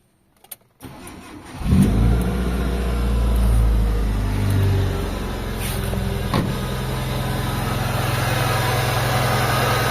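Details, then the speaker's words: Mitsubishi Lancer GLXi idling: constant rough, gritty grinding over the engine hum, heard on the timing belt side of the engine bay; traced to the AC compressor pulley bearing. "So habang umaandar to mga bossing ah merong grinding sound mga boss doun sa side nung timing belt niya."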